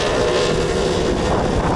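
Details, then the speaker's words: 1992 Toyota Century V8 (5V-EU) on 245/40R20 tires with custom 20-inch wheels, 35mm offset: steady road roar with faint scuffing rub on sharp right and left turns; tire rubbing wheel well, no rubbing in normal driving or normal turns. "as you can hear there was rubbing there let's do it again now let's do a left turn and there is some rubbing on the left side"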